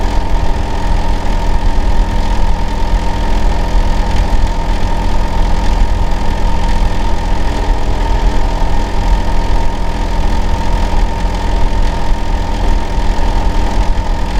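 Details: Neighbour's Hitachi air conditioner outdoor unit running in winter: loud, deep steady droning buzz, especially loud in summer and winter; cause not identified.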